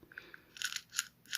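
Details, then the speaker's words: Hand-turned gearbox removed from the BC2x4 after it was slipping and not turning: sharp rough crackling bursts that catch and stick, suggesting internal gear damage; cause suspected, not yet confirmed. "that does not sound healthy oh that's cracking should not sound like that and it's actually stuck there"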